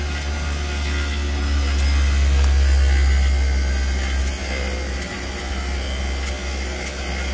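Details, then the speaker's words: Daikin "Rebel" package VRV rooftop unit in automatic cooling mode, setpoint below space temperature: deep hum swelling and sagging unevenly as the inverter compressor lugs, amps bouncing around; failing inverter compressor. "the amps are bouncing all around too on this system you can hear it something's going on in there for sure"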